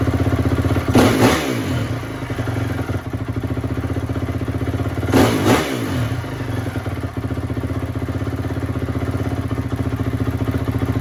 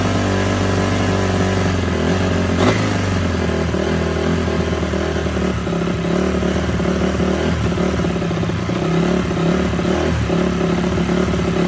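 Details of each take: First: 2004 Honda CRF250 single, freshly rebuilt, running after gunk was cleaned out: steady idle with two quick, clean blips rising and falling crisply without popping or stumbling; healthy engine. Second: Rebuilt 2004 Honda CRF250 after it was blown up, first start: engine speed rises and sags and never settles, a surging idle; owner suspects a pilot circuit issue since it runs perfect on mid to top but won't idle.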